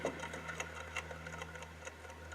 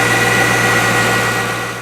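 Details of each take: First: C5 Corvette (1997–2004) with the belts off, idler pulley spun by hand: it free-wheels with a dry ticking rattle as it coasts down. The worn idler bearing is the likely source of the squealing. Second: C5 Corvette (1997–2004) after replacing the accessory and AC belts, idler pulley and tensioner to cure a squeal: steady, even idle hum with a smooth belt drive and no chirp or squeal; accessory drive sounds healthy.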